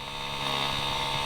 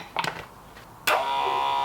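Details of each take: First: Ford Sierra Sapphire RS Cosworth after new brake lines were fitted and fluid topped up: steady electric whine as the brake servo pump motor runs continuously on pressurizing instead of cutting out; owner hopes it is air in the system and plans to bleed the brakes. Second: 1988 Ford Sapphire RS Cosworth ABS pump motor bench run after topping up the brake fluid. A steady electric whir for about two seconds that starts and stops cleanly with no grinding; the pump runs healthy.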